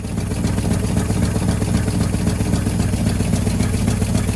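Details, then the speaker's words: 1963 Chevrolet C10 with 65-year-old Stovebolt straight six, two dead cylinders; idles with quick sharp puffing tick on each firing pulse and smoke from below: exhaust leak at loose, rusty manifold bolts, later replaced with stainless bolts. "Okay, we totally have an exhaust leak."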